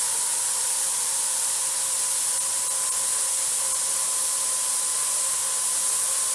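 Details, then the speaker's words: Presto 23-quart pressure canner (recently acting up) venting before the regulator goes on: constant loud hiss with faint steady whistle, no sputtering; needs a steady stream for 10 minutes, almost there; normal steam venting. "now it's really starting to get it's vents going here it needs to be a steady stream for 10 minutes mine's almost there"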